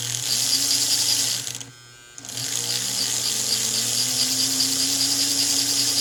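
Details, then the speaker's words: 1949 American Flyer #322 Hudson locomotive motor, after fixing armature bounce and backing off over-tightened screws: a high, steady electric whine that dips briefly and then recovers to a smooth speed; it runs okay, though the darkened field may be scorched. "that is running okay. About the only thing we could do to make it run better than this would be to actually rewrap this field, because you can see it's kind of darkened, which tells me it's gotten too hot, possibly scorched,"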